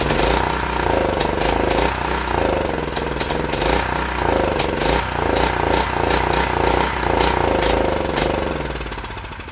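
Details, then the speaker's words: UST 3500 W generator, hand-fed fuel into the carburetor: uneven lumpy putter about three beats a second, surging and sagging then dying; runs rough only on primed fuel. "Alright, it will run and it will put out power. So I'm going to go ahead and order a carburetor."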